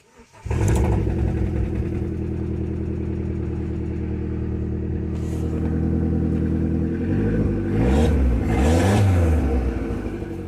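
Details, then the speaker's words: Vauxhall/Opel Corsa D with a loud noise the owner likened to a wheelbarrow. Deep, raspy rumble with a rough puffing beat, louder and harsher as revs climb. The exhaust leaks underneath and needs a new exhaust system from there back. "okay uh i was told it sounded like a wheelbarrow but that doesn't sound like that sounds like the exhaust to me but maybe he's got two problems"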